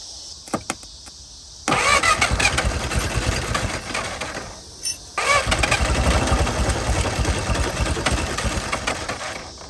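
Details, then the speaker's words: 1950 DeSoto Custom old six, first start after sitting about six years, fed from a temporary fuel tank line to the carb: short crank, catches, idles lumpy and uneven, stumbles and restarts; rough idle. "There it went. Doesn't idle very smooth."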